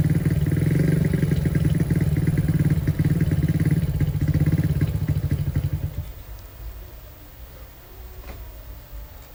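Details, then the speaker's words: Honda CB/GL100-based single-cylinder newly fitted with a CPO PE 26 mm carburetor, air and needle settings not yet right: an uneven, wavering putter that dies after about six seconds, and it is sometimes hard to restart. A float needle fuel leak was found later. Rough running and stalling. "Cuman memang masih belum normal kayaknya nih. Kita bakal cari tahu ya. Kadang susah lagi kalau misalkan habis mati dihidupin susah lagi nih."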